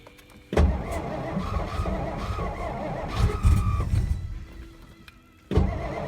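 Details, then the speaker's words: 1963 Studebaker Lark sat since 2010, weak battery, starter being rested: long laboured cranking bursts, engine coughing and almost catching, then silence; cranks but won't fire, owner later realized the tank was on E and adding gas fixed it. "I'm gonna let that starter cool down for a minute. It ran good last year."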